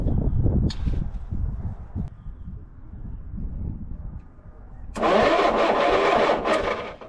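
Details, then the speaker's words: 1940 Keller Super Chief woodie, 6-volt system jumped with a 12-volt battery at the starter plus starting fluid: slow uneven cranking, about three turns a second, then a louder burst without catching; cranks but no start, spark suspected missing. "See if she'll fire. Dang. I don't think it's getting any spark."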